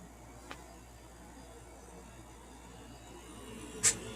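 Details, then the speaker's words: Fedders 7500 BTU AC after its condenser coil was cleaned: a soft, even rush of air with the compressor barely audible and no rattle or building drone. Previously it grew louder as head pressure built. Now smooth and quiet; normal running. "Alright, this compressor sounds much happier now that that coil is clean. It's been running for a while and it's nice and quiet. Before it would actually get louder as the head pressure built up. But it's super smooth and quiet."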